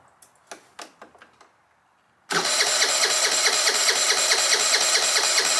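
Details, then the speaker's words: 2013 50cc scooter (Sports City), sat unused for 5 years, new battery, empty fuel tank: a few light clicks, then starter whirs steadily about twice a second but never catches; cranks but no start, no fuel reaching engine. "okay well the start is working I don't think there's any gas in this thing though so let's do that next"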